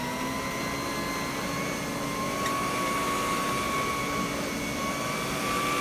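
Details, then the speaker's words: Vintage Electrolux power nozzle after fitting a brand-new brush roll: steady high motor whine with a smooth, even hum and only slight vibration left; sounds better and runs normally. "that sounds better. I mean, it's still vibrating a little bit, but there's not much I can do."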